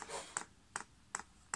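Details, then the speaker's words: Chinese diesel air heater, priming the fuel line from a paraffin tank: crisp, evenly spaced dosing pump clicks about two and a half per second in a quiet room; normal priming. "you then press the up Arrow and you can hear that pump's clicking"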